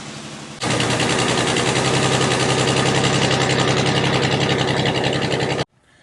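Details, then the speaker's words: Vehicle with 3.4 engine, driver reports not running right; misfire felt on short drive, duplicated under brake-torque load: steady uneven chuffing pulse like one cylinder dropping out. Coil-over-plug waste-spark ignition (one coil fires two plugs). Engine misfire. "we took it on a short drive and it feels like it's got a misfire I'd like to duplicate that for you now the engine's running now we're going to load torque the engine you should be able to hear that on the video constant steady mid"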